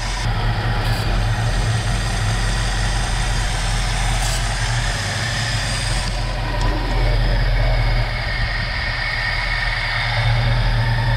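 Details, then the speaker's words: 1969 Mercury Cougar SS, 351 Windsor 2V V8, after 20 years sitting, with a carburetor leaking fuel and a seemingly useless accelerator pump: deep, loping, uneven stumbling idle. The owner thinks it just needs carburetor adjustment. Rough idle. "i mean it's running mostly off fuel i think maybe it just needs a little adjustment then"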